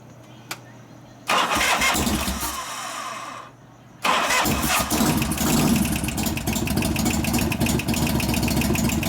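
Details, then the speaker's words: 1988 Harley FXR, after pushrod adjustment, cam change and fitting a new Crane lifter: starter whirs, twin settles into lumpy idle with light tapping; same lifter still ticking, suspected not pumping up. "Same knob. Same damn lifter still going. Okay, let's put it in gear. Let's see if we can find what that lifter's on."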